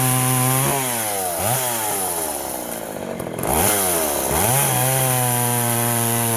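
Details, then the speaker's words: Poulan 3400 Countervibe (Craftsman 3.4) vintage chainsaw loading up, smoking and flooding while cutting wood; revs sag and drag down repeatedly under load then struggle back; running rich because the carburetor diaphragm metering lever was set a little too high. "the um the lever the diaphragm lever anyways it was a little too high it was getting too much fuel"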